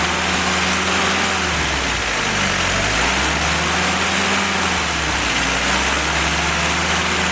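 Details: Willys F-134 F-head four-cylinder fresh rebuild on engine stand during break-in, oil pressure 40–45 psi, water 165°F; revs rise and fall smoothly, clean even exhaust beat, no knocks; normal running.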